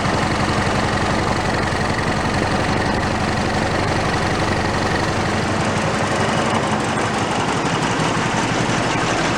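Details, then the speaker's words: Toro riding mower single-cylinder engine, failed and torn down, rebuilt missing half its crankshaft, idling with no throttle: heavy, lumpy, loping thump with strong shake "like a Harley" from the out-of-balance crank. "I don't know if the shaking is showing up. I don't know if the shake shows up on the camera. It's pretty good."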